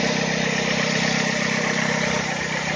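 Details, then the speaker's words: 2008 Dodge Avenger after fixing a broken injector wire that caused intermittent crank-no-start: engine settles into a steady, even idle with smooth hum, no misses, stumbles or surging; normal idle. "that was it so we fixed the problem if the car runs great now"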